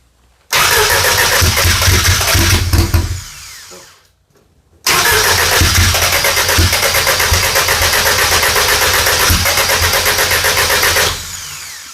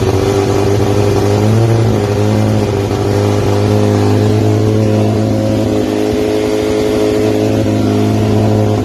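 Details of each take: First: Audi drag car, GTX4508R 80 mm turbo, FuelTech ECU, first fire-up attempt: two long bursts of steady starter cranking, never catching; still very rich (fat), crank no start from running rich. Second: 1990 Audi Coupe Quattro drag car, GTX4508R 80 mm turbo, FuelTech ECU, after tune rebuilt from scratch: fires right up, strong steady note holding even idle with slight rev, no misfire; normal running.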